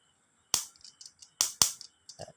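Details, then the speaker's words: Repaired Toyota 5A-FE distributor-type ECU bench-tested with battery and distributor, with an LED simulating the injector; it was in for a no-start: three sharp, dry snaps with faint clicks show a healthy spark. "แป๊กๆแป๊กๆแป๊กๆคือไฟออกนะครับ"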